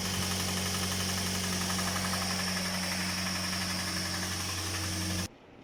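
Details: Toyota Vios petrol engine idling with a deep, steady knock about four times a second from worn main bearings.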